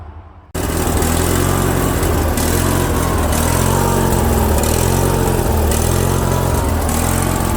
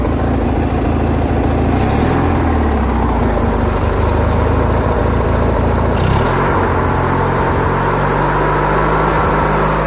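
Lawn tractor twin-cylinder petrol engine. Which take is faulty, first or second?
first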